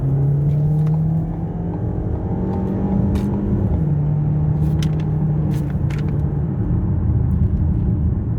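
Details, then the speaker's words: 2018 Ford Escape 1.5-litre with reported transmission leak, full-throttle acceleration up an interstate on-ramp: hard pull with deep rising drone and road rumble, no transmission front pump whine heard. "So far, I have not felt any or heard any pump whine."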